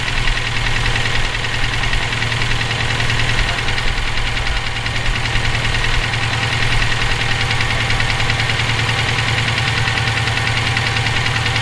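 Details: Subaru EJ257 engine knocking for about 17k miles since purchase; constant idle with a loud, persistent dull knock about twice per second; owner suspects rod knock, spun bearing or valve lash needing adjustment, not confirmed.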